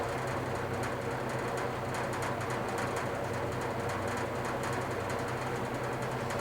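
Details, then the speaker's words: Older GE box fan on low speed: steady motor hum with a fast, light rattle buzzing over it; otherwise runs well. "Start it up on low. As you can hear it, rattles a little bit."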